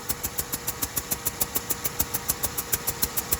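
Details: 2007 Buick Rendezvous, GM 3.5 engine, no overheating, owner suspected exhaust manifold gaskets: crisp even ticking at about seven a second over quiet idle like an exhaust leak, from gas escaping past a leaking head gasket; block test stayed blue.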